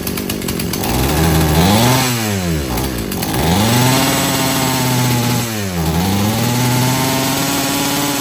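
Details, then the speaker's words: Husqvarna chainsaw being rebuilt after not running, disconnected fuel hose just reattached: revs sweep up and fall back unevenly, hesitating and bogging from idle, though wide open on the high-speed jet runs okay; stumble on acceleration from rich low-speed mixture. "once I revved It Wide Open you can see the high-speed jet took over and it seemed to run okay then but it's just uh revving up throttling from nothing or from idle up to highp speed seems to stumble"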